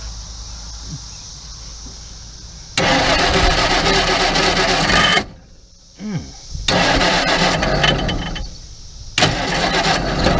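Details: Crosley car with under 30K miles, stored in a barn since the early 70s, plugs back in and a little fuel added: bursts of rough cranking between pauses, then it catches with ragged uneven firing, barely running; first start after about 40 years of storage.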